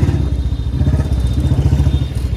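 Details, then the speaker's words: Royal Enfield Standard 350 with a C-type free-flow bend pipe, ridden under light throttle: ragged, puffing exhaust beat because exhaust leaks at the main header pipe joint; planned fix is fitting a sealing ring there. "यहां से हवा leak हो रही है जो यहां से ना जो मेन जॉइंट होता है इसमें यहां से हवा लीक हो रही है आवाज तो बढ़िया कर रही है पर जो हवा प्रेशर जो प्रॉपर आना चाहिए ना हल्की रेस देने के बाद इसकी आवाज टेढ़ी मेढी हो रही है तो हवा लीक हो रही है यहां से"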